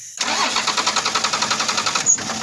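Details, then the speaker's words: First-gen diesel truck that ran, was shut off and won't restart, tank full of fuel and fuel at filter head: steady even cranking at seven to eight turns a second with no firing; fuel shutoff solenoid on the back of the injection pump or its connection suspected. "And mind you, it's full of fuel, and it ran in here. I mean, I just shut it off and it won't restart."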